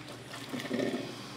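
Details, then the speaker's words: Madine filter coffee maker heating water for first use after switching on: soft gurgling and hissing swell about half a second; ordinary normal heating noise. "Observe, gente, que ela faz um barulhinho, certo? A água está sendo aquecida para o primeiro uso."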